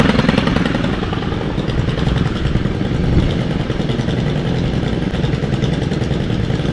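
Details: Stihl FS91R string trimmer, unused since December with fuel stabilizer added: a loud, even, buzzy two-stroke drone with no misses or surging. It runs normally after winter storage.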